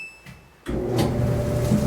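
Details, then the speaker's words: Samsung dryer after repairing the squeaking, stuck drum by cleaning or replacing the roller wheels: drum starts with a steady low rumble and even hum, no squeak or scrape; running normally. "so there you have the working dryer"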